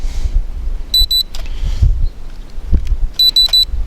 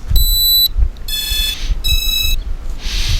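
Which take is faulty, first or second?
first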